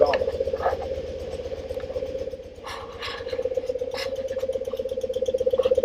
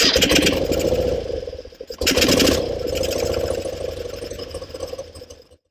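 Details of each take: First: 1974 BMW R90S airhead, warmed up, idling in the garage: an even idle with a soft, irregular gobbling pulse about 160 a minute from the case. The cause is a crankcase breather flapper valve fitted upside down. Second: 1974 BMW R90S boxer-twin motorcycle after reinstalling a new engine breather valve whose flapper had been upside down and caused gobbling; it now fires up to an even, steady idle and shuts off with no gobbling. Normal idle, fix confirmed.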